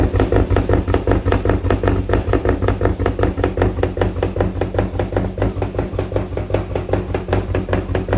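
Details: Abandoned turbo Ford EF XR6 inline-six, first run in about 1.5 years, later found damaged: lumpy, uneven idle with steady stumble several times a second, one cylinder not firing from lost compression.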